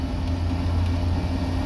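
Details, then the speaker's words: Land Rover Series 3 with new Ashcroft 4.75 replacement differential, driving on road: steady even drivetrain hum, no whine, clunk or rumble; diff quiet and healthy, earlier hesitation fixed by cleaning carb and new filter. "tell you what folks with no unto noises it's a sunny day and I'm having a lovely lovely time driving this thing it's just working beautifully"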